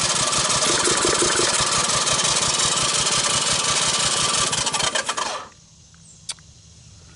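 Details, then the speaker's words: 1984 Honda ATC200ES barn find, valves loosened, cranked during a compression test. The single spins fast and evenly, about 170 beats a minute, with little drag: under 30 psi dry and 60 wet, low compression. "so here's a quick compression T and uh we didn't even make 30 so that's dry let's try wet"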